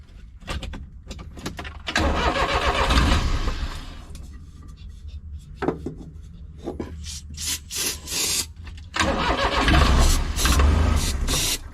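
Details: Japanese Kei mini truck off the road for years, old crumbling air filter foam, given a little squirt: uneven cranking catches and settles into a lumpy run; starts and keeps running on its own.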